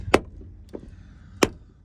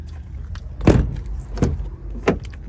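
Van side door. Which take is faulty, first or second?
first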